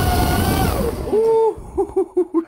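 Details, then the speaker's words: Deltaforce 35 fast electric RC boat on 6S after fitting TFL Stinger drive: smooth motor whine rising and falling, then quick even throttle blips, no grinding or rattle; sounds good. "sounds good that sounds good it looks good it looks mean on the boat"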